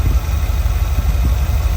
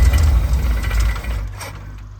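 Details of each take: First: Small-block Ford 5.0 V8 in a van with newly installed Pertronix electronic distributor, warming up; low even idle about 600 rpm, about 18 inches of vacuum, choke roughly off, no misses or knocks: normal idle. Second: Small-block Ford 5.0 V8 in a van after swapping points for a Pertronix electronic distributor; catches into a low, slightly uneven, loping idle, timing expected off and a little retarded, alternator belt squealing: rough idle.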